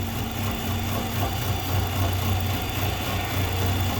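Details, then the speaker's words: 2014 Nissan Altima, believed 2.5 L, with P0014 and P0300 codes, rough idle and occasional start-and-stall: low, uneven, lumpy idle that never settles. Scan data shows the exhaust camshaft stuck out of time. "Oh, look at, there you go. That's no good. We got an exhaust cam that's stuck."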